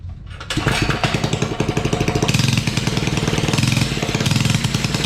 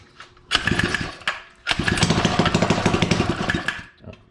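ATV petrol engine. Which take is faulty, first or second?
first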